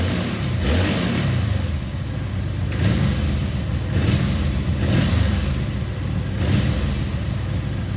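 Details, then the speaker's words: Honda VF750 Magna motorcycle, carbs fully rebuilt a year earlier then left sitting about 10 months, blipped from idle: off-throttle hesitation, uneven rise, spits and sputters from clogged carburetor idle circuits. "you get to that very ugly kind of hesitant right off of throttle hesitation okay has some spits and sputters"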